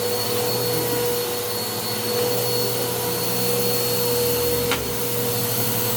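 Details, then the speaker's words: Bissell PowerClean OnePass (35831) vacuum, used Goodwill unit, running at constant speed after its clogged filter was cleaned and airflow unblocked: even roar with a thin steady whine on top. The motor is still noisy; owner unsure if it is bearings or impeller dirt. "so now that the air flow is not blocked I can tell there is still a little bit of noise coming from the motor I'm not sure if that's bearings or if that's or if that's uh actual dirt in the impeller"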